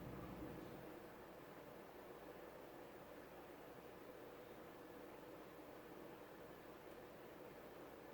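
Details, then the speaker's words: CEC-made 36-inch white and polished brass topmount spinner ceiling fan, filthy when acquired, on its fairly fast medium speed: soft, steady airy rush with no ticking, rubbing or bearing growl, with a slight wobble noted at higher speed. Normal running. "So I'll turn it to medium. This fan has a pretty fast medium, like most 36-inch fans do."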